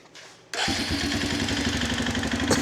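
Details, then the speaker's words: 2006 Arctic Cat 400 ATV after fixing intake manifold leaks and turning the fuel mixture screw well out for more fuel; key on, it catches at once and settles into an even, steady low idle, low enough to shift without creeping. Normal start and idle. "Has a nice low idle. So, which allows me to go like this with the shifter without it moving forward and backwards."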